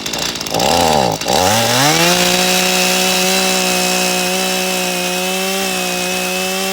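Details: Stihl MS 182 C-BE chainsaw after a morning cold start and a minute or two of idling, full tank of gas. It snarls up from a rough start into a steady, high, even full-throttle scream while cutting: healthy cutting under load.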